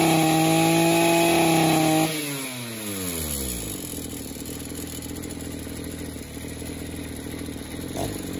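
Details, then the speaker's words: 2-stroke engine, burnt up with no compression: steady high buzz, then loose clatter as it winds down; the knock comes from play in the wrist pin bearing. "i can feel the play in the wrist pin bearing and that's where the knocks coming from"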